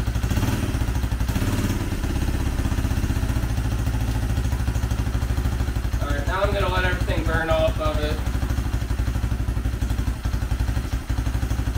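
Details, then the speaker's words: 2004 Honda CRF80 single-cylinder four-stroke after complete engine rebuild with big bore kit, first run no choke: steady, fast, even putter with no clatter or misses; healthy, needs slight idle adjustment, likely assembly residue burning off. "oh yeah she'll run real little choke needs a little idle adjustment but it sounds good"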